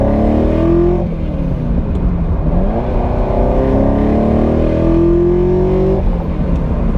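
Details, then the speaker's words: Ferrari 308 on first drive after rebuild, long idling while being set up: revs rise and fall unevenly under load with a lumpy stumbling note; misfire, likely not firing on all eight cylinders; owner suspects failed plugs. "Yeah, it's definitely not running right, so that's disappointing. I wonder why it's doing that."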